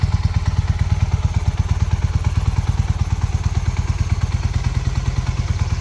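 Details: 1981 Honda CM400, sitting since 2000, after restoration and ride: deep, even exhaust thump at a steady rate, no clatter or misfire; pulls and runs great. Normal running.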